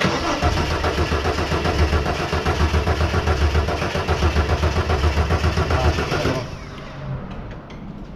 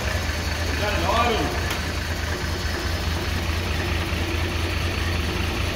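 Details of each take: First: 1983 Ford XE Falcon 4.1L Crossflow EFI, sat for years, ex-LPG with mystery wiring, throttle held open: steady cranking about four turns a second for six seconds with no firing; engine turns but won't start. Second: 1983 XE Ford Falcon 4.1L Crossflow EFI, sitting for years: first start after revival catches and settles into a steady, even low idle with no knocks or misses; normal start, exhaust heard from the back.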